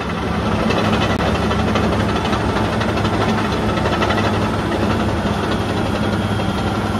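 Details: Ex-military Cat D7G dozer after service, including oil and hydraulic filter changes, after an earlier hour-long run: deep, steady diesel rumble holding an even beat with no knocks or misses; running healthy.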